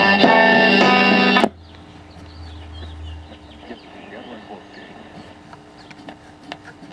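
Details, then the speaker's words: RCA RLS 47W AM/FM clock radio under repair: station plays loudly then abruptly drops to faint hiss, AM barely working; intermittent weak AM reception, suspected bad epoxy-dome converter transistor, not confirmed. "okay this thing's got a bad converter transistor I would bet money on it and I bet it's that thing with the little Dome over it the epoxy Dome transistors"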